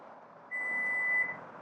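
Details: 2024–2026 Lexus TX, holding the power back door button: one steady high-pitched beep under a second as the tailgate starts closing, the normal power back door warning tone.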